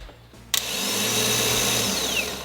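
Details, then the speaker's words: BMW 428i starter motor removed from engine and bench tested: click, then smooth rising electric whine that holds steady and winds down freely with no grinding; starter is good, not the cause of the no-crank. "All right, so that's a good starter motor. So the starter motor isn't the issue."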